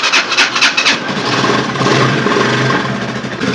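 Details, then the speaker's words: Vortex 250 single-cylinder motorcycle after repair of an engine noise traced to a loose nut (gear-retaining, showing impact marks); a few cranking pulses, then an even idle with no metallic knocking left; normal idle. "no se escucha tanto el ruido no se escucha escuch algo aquí ya no se escucha"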